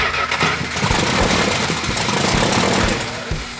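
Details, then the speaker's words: 1972 Dodge Charger 400 Magnum V8 at first start after an earlier leaking, faulty coil: fires but runs sluggish, lazy and uneven, slow to pick up; ignition timing retarded, originally 180° out, then bumped. "It's still Way really sluggish. retarded. Yeah."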